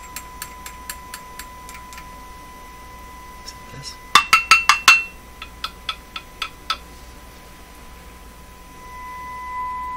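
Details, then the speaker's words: Nordmende Caruso console radio during shortwave band 2 alignment, tone dropped after about three minutes of running: tap test brings uneven bursts of sharp ticks, loud then fainter, over a faint steady tone in the speaker; intermittent crackle, cause unknown. "let's give it a tap test yet seems better you can still hear that in the speaker it should just just be a tappy sound there it goes again"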